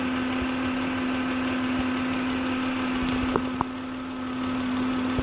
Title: 2006 Acura MDX - Old Failing Alternator Whining Noise - VTEC 3.5L V6 Engine